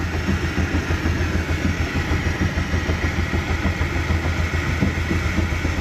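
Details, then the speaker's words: 2017 Mercury 90hp four-stroke Command Thrust outboard in guardian mode with 6-beep alarm, after a sensor change clears the alarm: idles with an uneven, lumpy beat of about three pulses a second, stumbling and stalling; owner suspects fuel line or filter, later found bad IAC valve. "Alright, so I changed that sensor and it's saying it's clear now, but then it's still running rough."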